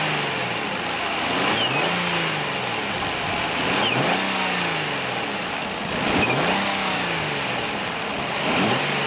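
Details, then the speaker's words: Nissan Murano engine revved repeatedly: thin high whistle under the hood rising with each blip of throttle, with slight chirping; suspected CVT but caused by air leaking through a worn rubber mount bushing. "Но оказалось, что дело было не в вариаторе, а именно в утечке воздуха в этом сайлентблоке."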